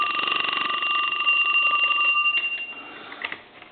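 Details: Western Electric 2554 mini wall telephone, Harvest Gold, aged, rung from the line analyzer: fast uneven bell clatter about four strikes a second, thin tone; bell switch was off and loose, ringer out of adjustment and needs readjusting.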